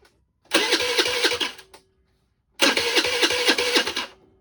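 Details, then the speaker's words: 2006 Volano scooter that had sat a long time, with the automatic choke reconnected: catches and runs in two short throttle bursts with uneven popping about four per second, then drops off; fuel flow to the carb was suspected; rough running after start. "What was happening was it was just turning over, and it would fire and turn over."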